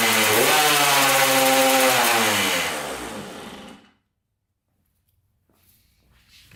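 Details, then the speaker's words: 1994 Honda CR80 two-stroke, sold as needing a piston with low compression, with gas squirted into the carburetor: fires and revs briefly, then the pitch drops and it dies within about four seconds; the carburetor likely isn't getting fuel, and water is later found in it. "all right uh that's good so i don't think the carburetor is getting any gas"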